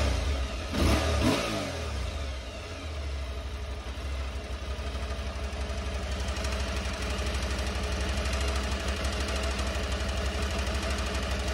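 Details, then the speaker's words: Aprilia Tuareg 660 twin, just before the 10,000 km service: after a blip, light rapid knock about three times a second over idle; engine-side cam chain tensioner failing, replaced under warranty. "the chain tensioner that is right there on the engine side it's very quick to change and the part cost only like €70 that needed to be changed under warranty started knocking a little bit"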